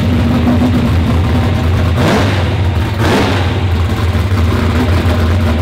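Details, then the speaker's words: V8, not run for a few weeks, started before dyno: deep, even rumble with two clean throttle blips, no misfire or stumble; sounds like a different motor, earlier hiccup gone. "that thing sounds like a completely different motor"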